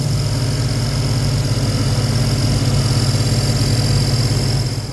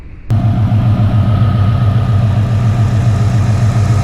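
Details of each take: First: 2000 Ford Explorer 5.0 V8 with Meziere WP374 electric water pump, installed 7-8 years ago: rough idle with steady high thin squeal from the belt drive; idler pulley bearing screech. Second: 2000 Ford Explorer 5.0 V8 with Meziere WP374 electric water pump, after replacing the screeching idler bearing and fitting a shorter belt; engine fires and settles into smooth steady idle, no screech or chirp: normal idle after repair.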